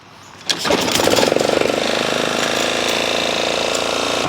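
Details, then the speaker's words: Toro Timemaster self-propelled mower, owner had the spark plug out: engine catches and runs with a ragged, uneven chuff and puffing beat, compression leaking past a blown head gasket. "Oh, this thing needs a head gasket. Oh, he had the spark plug out. Yeah, this needs a head gasket."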